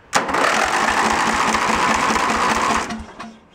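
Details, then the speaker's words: Junk lawn tractor's small engine after carb cleaning, with worn starter gear teeth, started on choke: quick pulses about four a second, sputtering; fuel blowing out of the carb, runs only on choke, carb issues remain. "yeah only wants to run up the choke on so definitely still has some carb issues with it"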